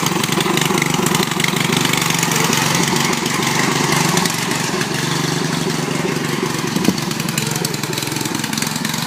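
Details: Riding mower with its engine cleaned of water and given new oil, started by jumping the solenoid on choke: harsh, loud, uneven roar with ragged popping over the idle. Exhaust escapes past a poorly attached muffler, causing backfires.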